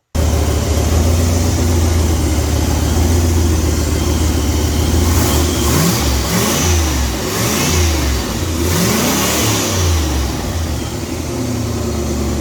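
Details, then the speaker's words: Deep, steady rumble rising and falling smoothly with throttle blips from an Olds 350 with a Lunati Voodoo cam in an '88 Cadillac Brougham, after cam and lifter break-in, exhaust hot and no longer smoking; no ticking or knocking, it sounds healthy. "that sounds pretty healthy"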